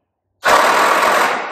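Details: 1946 Willys flatfender Jeep, long sitting, after rewiring the solenoid with a momentary push-button: fast, even rattling starter churn with no grinding or clicking; normal starter cranking.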